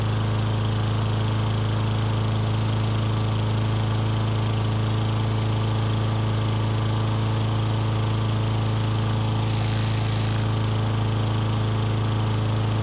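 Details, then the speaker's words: Curbside-found push mower with Briggs & Stratton Classic single-cylinder revived, running with oil sizzling off the back of the muffler: deep, steady hum with smooth, unbroken rhythm and no stumbles; smooth-running engine. "you guys can hear it sizzling off a little bit more that oil on the backside of the muffler uh this is a real smooth runner though that's great"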